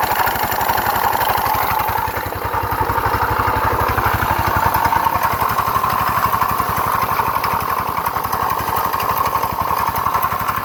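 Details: GY6 scooter grinding when running and on throttle; it accelerates slowly, cuts out, then clanks and won't start. A steady rapid beat with a harsh grinding rasp over it. Variator or crank bearing suspected, unconfirmed.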